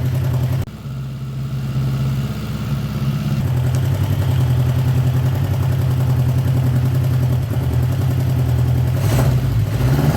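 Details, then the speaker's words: 1979 Honda GL1000 Goldwing after carb rebuild, running without choke: low, lumpy, uneven revving and smoking from one side; owner suspects bad seals fouling plugs, hopes it burns off. "see that one side maybe you guys can't even see it but just one side that's why I said she's a smoker besides puffing a little bit too here we're going to burn all that off before we can get this thing running right"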